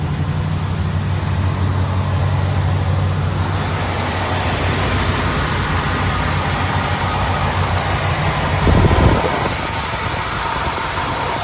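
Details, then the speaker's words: 1976 Oldsmobile Cutlass Salon, 54,000 original miles, cold start after 24 hours sitting, many gaskets recently replaced: deep steady even rumble on the fast idle circuit with no misses or knocks; healthy. "Guess I'll do a quick walk around so you can hear it run. It's kind of on the fast idle circuit, I think, right now."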